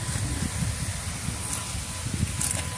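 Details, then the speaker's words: 2012 Renault Logan front suspension: irregular dull knocks as the car pulls away and steers, from a worn steering tie rod end, which must be replaced. "e aí tá escutando um barulho batendo direto tá vou mostrar um antes e depois tá"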